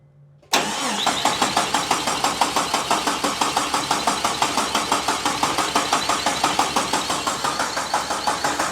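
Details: 1972 Jeep Commando with swapped-in 2000 Cherokee 4.0 straight-six, AW4 transmission, first start attempt: even starter churning about three beats a second, cranks freely with no catch or firing; throttle works and fuel was dumped in, so spark suspected missing.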